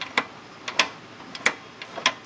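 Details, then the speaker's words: Model steam engine turned by forcing the flywheel round by hand: a light tic-tac knock every revolution as the connecting rod slaps left and right at the small end, because the crank pin is not square to the journal on a crooked crank disc. Fix is a paper or cloth shim. "So this is a little tic-tac noise with every revolution as the rod tries to go left and then right."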